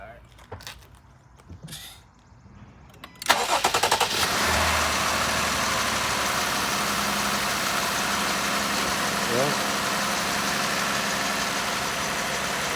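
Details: 2018 Jeep Grand Cherokee 3.6 L after replacing faulty fuel injector (cylinder 5 misfire, injector stuck open/closed codes): cranks briefly, catches at once, settles into steady even idle with no stumble or miss; repair successful.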